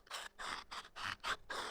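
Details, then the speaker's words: Accelerator pedal from a 2017 Volvo XC90 (SPA), removed and worked by hand: quick creaky squeaks, one per stroke, from the dry pivot rubbing. It is annoying when pedaling during low-speed maneuvering, and the owner already lubricated it. "То есть слышно, да? Видно, самое главное, где она трёт. И вот этот звук, он крайне, конечно, неприятен."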